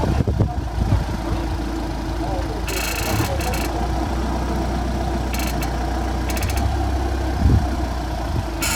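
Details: Audi A4 B8 idling steadily with short dry creaking bursts each time the steering wheel is turned.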